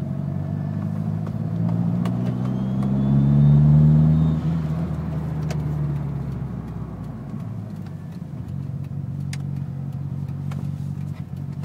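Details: Mitsubishi Evo petrol engine revved twice: light scattered ticking over the rising drone, starting at about 2000 rpm.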